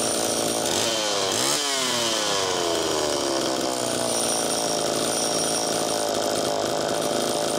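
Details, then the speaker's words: Allen's Super EZ chainsaw with Walbro HDC carburetor, test run after carb rebuild: quick blip then clean, even idle with no stumbling or surging. Low-speed screw was set too lean, which slowed priming; tip test unchanged, crank seals likely fine. "Low side was a little too closed off. That's part of why it took a little more time to prime there. But that's idling good."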